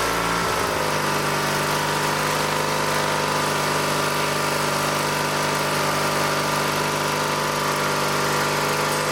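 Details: Old Dynamark lawn tractor, 16 hp rated at 3600 rpm, recovered from a scrapyard and given new fuel lines, started on choke without the air cleaner fitted; after a short crank it holds a smooth even idle with steady hum, no misses or knocks.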